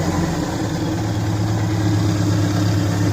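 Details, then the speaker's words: 2004 Subaru Impreza engine, first run in months after reassembly with a JB Weld-repaired stud, oils and cleaners burning off, coolant burping: steady, even low idle with smooth pulses and no knocking or banging, not missing, no check engine light. "there's no bang, bang, bang, bang, bang. So, Yeah. it didn't destruct itself. It's not kabooming."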